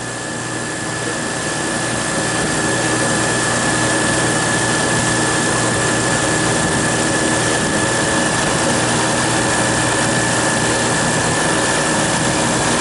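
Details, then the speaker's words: Refrigeration compressor in frigid weather (about 14–16°F, -14 wind chill) after a crankcase heater was fitted on the liquid receiver to raise suction pressure: even steady hum with constant high tone, no knocks; pumping down normally, cutting out at 0 lbs. "it warmed up the refrigerant enough so it expanded just enough to kick in the the fres frost and she should start pumping down for us it's pretty cold up here my hands are freezing okay she's pumping down"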